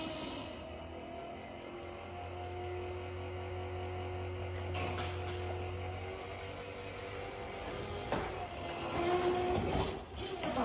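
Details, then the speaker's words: Mustang convertible top not working: top hydraulic pump hums and strains with a rough gurgling edge, cavitation from air in the pump, clearing after cycling the top a couple of times. "pump when you have some cavitation some air in the pump you hear it gurgling"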